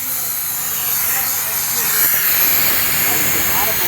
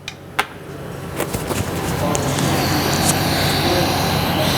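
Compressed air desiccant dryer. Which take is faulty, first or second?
first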